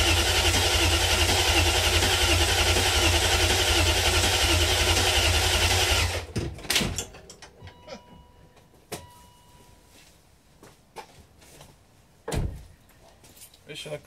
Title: 540i cranking after rebuild (oil pump prime)